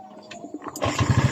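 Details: Honda Beat scooter, kickstart only, stalled when sat on, no current found at tension wire (error 52 symptom): brief kick, engine catches immediately and settles into steady low putter; clean one-kick start.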